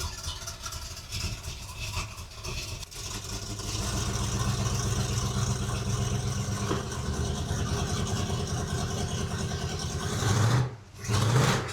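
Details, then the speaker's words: 1978 Ford Bronco V8 revived after decades sitting, just started, still cold (temperature gauge not yet moved): deep, steady exhaust burble, about four pulses a second, holding even at idle; running fine, exhaust just too loud. "sounds good with them pipes on there. Still way too loud, but she sounds good."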